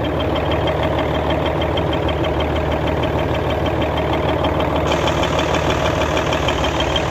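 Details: Hino Euro J08C six-cylinder truck diesel idling with a steady dull knock about two beats a second from the air compressor side; noise lessens when a hand is pressed on it; suspected worn air compressor connecting rod bearing.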